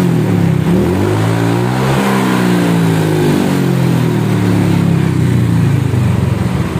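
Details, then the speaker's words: Honda Vario scooter revving smoothly after the loose bolts were tightened: steady drone rising and falling with throttle, the earlier ticking rattle gone, only normal vibration left; sounds healthy. "ya gak ada ya gak ada bunyi TR TR trak tadi kendor Emang ngeketekak berasa goyang Tuh hilang yangeteknya tinggal getaran B aja tuh"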